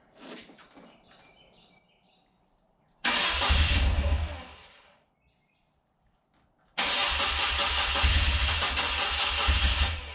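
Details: Rare carburetted twin motorcycle, first start attempt on choke, fuel on reserve, fuel filters fitted backwards: two long stretches of steady starter cranking, never catches; carb starved of fuel, bowl nearly dry.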